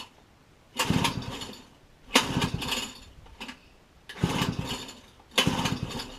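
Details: Pit bike, recoil pull-start spring just re-coiled and refitted: four pull-start bursts give quick chuffing cranks that die away without firing; cause unknown, owner plans to drain and replace petrol and oil.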